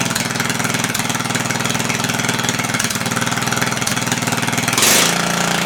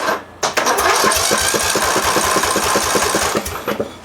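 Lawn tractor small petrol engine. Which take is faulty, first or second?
first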